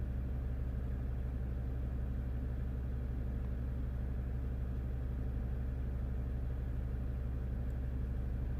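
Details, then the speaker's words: 2015 Jeep Grand Cherokee Overland Quadra-Lift closed air suspension, compressor already replaced, codes C156E and C15D9: constant deep drone as compressor runs loudly but the car doesn't rise; suspected low air mass in system, tank may need filling. "yeah the compressor runs but the car doesn't move this height um because of that low air mass"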